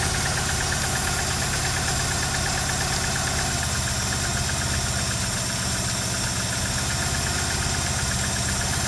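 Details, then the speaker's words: Opel Manta with no cooling, distributor backed off; uneven loping idle with rough pulsing beat and irregular ticking, judged not misfiring; lumpy idle from retarded ignition timing. "That's lumpy, that. It's not misfiring."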